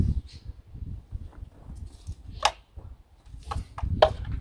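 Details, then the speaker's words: 2007 Vauxhall Astra 1.6 Twinport convertible, engine turned by hand past top dead centre, screwdriver in the plug hole: two sharp metallic clicks; suspected play between piston top and crankshaft, likely rod bearing. "we can see by the screwdriver coming up nearly there just stop moving now if you can hear this study here in distinct click on that one there's a little bit apply in the leaky today somewhere between the top of the piston and the crankshaft"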